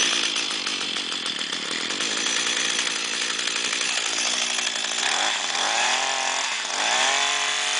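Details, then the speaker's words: Echo S22 two-stroke trimmer that would start but not rev, after cleaning the exhaust/muffler: it buzzes high and clean and picks up crisply on two throttle blips before settling back, now running and revving properly. "и всё наша коса работает в отличном режиме"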